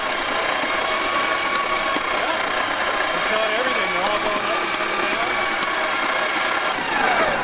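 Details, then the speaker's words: Ford 289 V8 not run in 35 years, first cranking during revival: loud, rough, grinding continuous crank with no firing, the starter sounding horrendous. "God that starter sounds horrendous it does that was a huge milestone so that's exciting"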